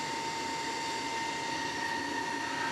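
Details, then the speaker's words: Solar inverter (EG4 FlexBoss21 or Amensolar N3H-X12US), recorded close up: a steady, loud fan rush with two whistling tones, still loud when touched; a replacement fan is to be requested for this loud cooling fan. "Right there's the fan and listen to that thing. That's horrible. No, it's touching it don't make a difference. It is just obnoxious."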